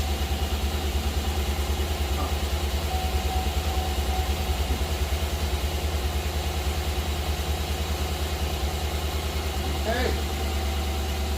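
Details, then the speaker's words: Chevy 5.3 V8 after full AFM delete and cam bearing job (earlier ticking, cheap replacement lifters didn't fix it), restart with no belt or accessories: steady, even idle with smooth low beat, no ticking or knocking, good oil pressure; sounds healthy. "H sounds pretty good to me considering there's no belt no accessories nothing turning sweet think we got her y'all"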